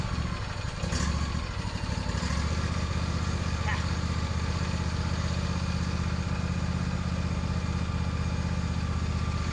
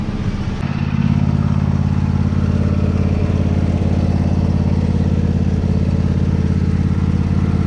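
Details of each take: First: Lawn tractor's first start after winter storage on ethanol-free gas with a recharged battery: a low, uneven chug at about four beats a second that sputters and smokes with the sticking choke still on; rough running on choke. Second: Old lawn mower, after first start of the season with the sticking choke now off: steady even low thrum with regular beat, no stumbling or hunting, normal running.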